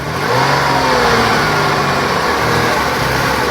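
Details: 2008 Dodge Avenger, after its head gaskets and timing were replaced: it throws many codes and only stays running with the pedal held down; it runs rough with a wavering, uneven note and improves with brake cleaner sprayed on; an intake vacuum leak is suspected before the smoke test.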